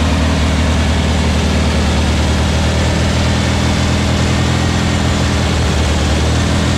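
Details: Freshly built VW Beetle 1679cc single-port engine with Scat C25 cam and dual Empi ITC carbs during its 20-minute cam break-in after first start. A steady, even deep drone at fast idle carries no knocks or ticks. Healthy running with timing spot on; carbs still need tuning.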